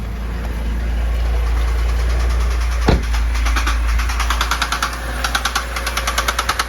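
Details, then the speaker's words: 2011 BMW 328i xDrive (N51/N21 engine) bought with a blown engine, oil burning off: a steady low idle with a sharp tapping knock, about three a second, that comes and goes; the owner later concludes it has spun bearings. "such an odd sound"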